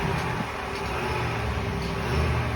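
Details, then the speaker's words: 2020 Ram 5.7 eTorque after replacing idler/tensioner pulley (68518735AA) for a whine on acceleration: steady even idle, smooth low hum, no whine or chirp from belt drive; problem fixed. "Sounds a lot better to me. Looks like that's all it was, folks."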